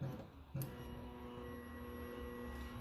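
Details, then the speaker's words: Electric fuel pump wired direct to an external battery on a project car: a steady low hum with a faint, even whine. The pump then builds 65 psi and holds 32 psi after shutoff, so it is working normally. "okay we got a pump can you hear it listen so we're going to plug this"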